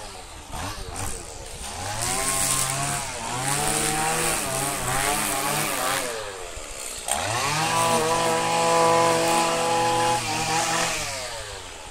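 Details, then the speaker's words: Stihl FS85 two-stroke strimmer, over 15 years old, on premix after seven months in a log shed: crisp buzz revving up and down cleanly and holding speed under cutting load; normal running. "it works that still that's been there for about 15 years"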